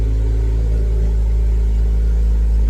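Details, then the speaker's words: Ford Focus ST five-cylinder with an ongoing misfire, started before coil checks; even, steady low drone with no dropped beats, idling normally; owner wonders whether water in a plug dried out. "That That don't sound bad. That don't sound like she's misfiring."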